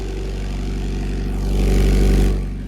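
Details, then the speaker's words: Honda Prelude barn find from Copart, cold start after sitting a while: steady low idle swelling briefly with a throttle blip then settling, smooth without knocks or rattles; normal cold start and idle. "little cold start haven't started this car up in a little bit [Music] not bad not too"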